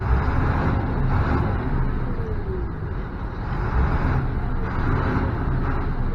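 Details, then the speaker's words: MaxxForce diesel plow truck with VGT turbo problem, after repair at idle, not driving: deep steady idle, no hunting or surging; boost now over nine pounds versus barely one pound before; considered fixed. "I'm gonna say this is fixed we got plenty of boost pressure it was coming up on the standard before I wouldn't even build a pound of pressure on there"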